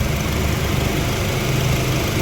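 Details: Suzuki Swift at idle with AC on: coarse droning hum with hissy edge and vibration felt at steering, smooth with AC off; AC hose leaking; mechanic suspects expansion valve or compressor.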